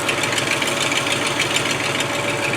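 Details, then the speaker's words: Land Rover 110 V8 idling after starting: sharp raspy puffing chuff with a hissy edge over a weak low end. Exhaust leak from a Y pipe busted wide open on one side; replacement part on back order. "The Y pipe is busted wide open on this side, so that part seemed to be on back order."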